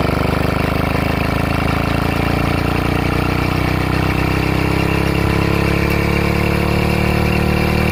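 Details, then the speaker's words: LD80 motorized bike two-stroke after first internal rebuild with reused partly broken-in rings and possibly misinstalled piston pin clips, spark plug out: busy steady buzz with metallic clank inside the top end; needs teardown. "I'll let you hear this sound that's a bale sounds like a ping inside the motor not really a ping but a clang your yeah Clank that sounds more like it"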